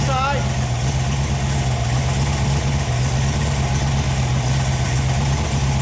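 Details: Freshly rebuilt Ford FE 390 V8, Edelbrock fuel-injected, first run on engine stand: steady, even low drone with no knocks, misses or ticks; runs smooth and healthy, though run ended by a fuel leak from a blown seal.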